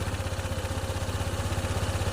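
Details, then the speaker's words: Honda ADV 160 scooter with a hard start that a previous shop didn't fix for 26k. After a diagnostic scan, the single-cylinder idle runs fast and busy at 1854 rpm and keeps fluctuating. It is a high, unstable idle, and the ECU will be reprogrammed. "Mataas pa yung RPM niya. 1854. Ayisin natin yan mamaya program natin top. Ayan nagbabago bago pa yung menor."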